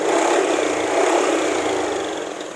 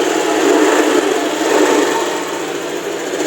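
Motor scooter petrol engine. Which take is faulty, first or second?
second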